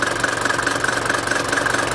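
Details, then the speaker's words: Mercedes T1 310D/308D diesel (OM601/OM602) idle being set after a throttle system overhaul: a low, even clatter that holds steady without hunting, a gentle trundle with few vibrations. A healthy idle. "So, I like to have it just tundling. Not too many vibrations. Just trundling on."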